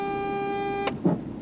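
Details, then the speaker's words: PT Cruiser with newly installed aftermarket horn, zip-tied in place; one steady, clear blast just under a second, full and even, judged louder than the old horn ever was; healthy horn. "I think that's louder than your other horn ever ever was"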